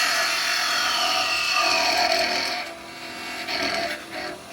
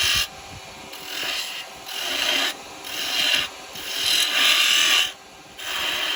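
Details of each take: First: Record Power 1/4" spindle gouge, shortened, cutting on the lathe: high, wavering screech with gritty chatter, easing off near the end. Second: Record Power 1/4" spindle gouge cutting wood on a lathe after being shortened and reground: repeated rasping cuts a few seconds long, clean and even with no squeal or chatter; a smooth cut.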